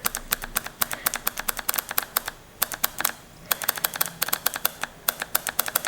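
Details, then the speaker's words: Husqvarna 54-inch zero-turn mower, fuel shutoff solenoid bench-pulsed with battery power: crisp sharp clicks in quick bursts as plunger snaps in and out; solenoid working normally (it cuts fuel on spin-down to prevent backfires). "If it moves and we hear noise, then it should work. It should be working. If it doesn't, then we know that's an issue. I see it and I hear it."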